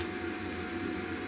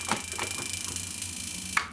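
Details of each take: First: Neotec NT-2501 25" arcade monitor chassis on power-up with light bulb test on B+: one sharp relay click over faint steady hum, transformer energizes, bulb lights, B+ reads 121.3 V; normal power-up. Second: Neotec NT-2501 25" arcade monitor chassis under repair: fast even ticking about twenty per second with faint high whistle, from brightness too high and flyback screen pot found at three-quarter; brightness, contrast and screen pot then turned down.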